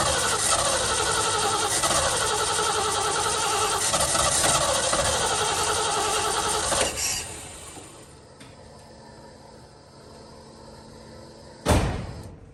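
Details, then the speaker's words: 1970 Ford Bronco, manual, sat for years, restart after re-priming by cycling key: catches and runs rough and uneven a few seconds, sags, then dies; stumbling start, owner suspects it needs more fuel. "Okay, I think it needs more fuel. That's all I think."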